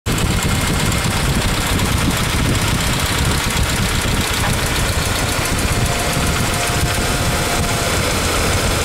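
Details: Ford Ranger idling with a loud, fast, even clatter, suspected lifter/tappet noise, recorded after an oil change and 10 minutes of running, before a RESURS engine treatment test.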